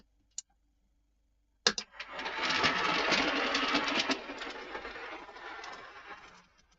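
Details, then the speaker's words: Triang 0-4-0 model locomotive after servicing. Runs very quietly with soft wheel rattle and only a light motor whir, no grinding; one of the quietest Triang motors. "Lovely and quiet. Probably one of the quietest Triang motors I've heard in my life. Can't even hear the motor grinding, all you can hear is the wheels."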